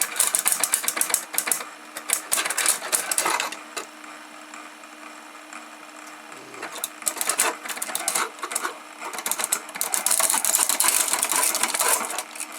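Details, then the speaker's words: DIY scrapper-type plastic shredder on a PSU: harsh rattling clatter in bursts, jangling as the rotor turns; one of the longer balls came out of the rotor. "one of the balls has come out there okay if i show you which i did have some shorter balls in here put some shorter air longer balls in here a bit longer one of them did come out"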